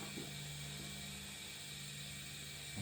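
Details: Flasher relay on bench power supply, powered on with scope connected: rapid steady ratchet-like chatter, relay buzzing on and off far faster than a normal flasher click.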